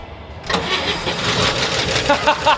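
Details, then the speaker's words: About 70-year-old barn-find car, cold first start after sitting: engine catches after a brief crank, then a light, fast, typewriter-like ticking clatter over the idle; 50 psi oil pressure but rockers running dry. "All right, we got 50 lbs of oil pressure, but I hear the rockers up here super dry. So, hopefully they start oiling here pretty quick."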